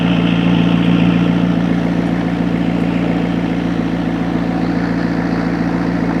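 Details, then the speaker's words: McLaren 650S V8 with new ignition coils and spark plugs, suspected overfilled oil, at idle: a smooth, regular beat with no skipped pulses. Smoke is clearing; the oil pressure switch reads 0, suspected faulty. "I'd let it run for a little bit. You know your oil level is correct, right? Yeah, sounds nice though. It's definitely clearing up."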